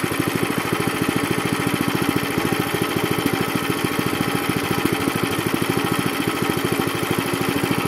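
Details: Zipper plate compactor, which had smoked, run unevenly, stalled and lacked power, after being cleaned and flushed and a strainer fitted: an even, steady single-cylinder chug at constant speed with no misses or surging, the repair a success.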